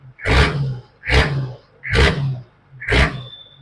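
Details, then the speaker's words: Warm 1992 Nissan Patrol Y60 (GQ) 4200cc inline-six diesel, about 125,000 km, specialist-upgraded fuel pump and injectors, after shell-off restoration: four quick throttle blips, each revving cleanly and falling straight back; very responsive, healthy free rev. "So very responsive, and we're expecting big things from this engine."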